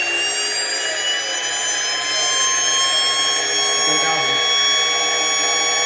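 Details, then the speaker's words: Porsche 924S EV conversion, electric motor revved to roughly 6,000–8,000 rpm without axles, first run this high: clean steady high whine, no rattle or knock; slight vibration possible but not the earlier transmission rattle. "okay well I mean yeah I heard uh this first time we've taken it up that high that I heard like maybe it's some very slight vibration but no that's not the noise that we heard"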